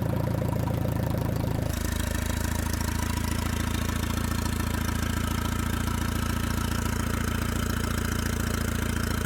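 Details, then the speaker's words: 2013 BMW F10 528i, N20 four-cylinder turbo petrol, after turbo rebuild with new cartridge and wastegate arm adjustment to fix constant wastegate rattle: start-up settles to a low, even, rattle-free idle; turbo working well, wastegate properly adjusted. "Yeah, the turbo's working well. Westgate is properly adjusted."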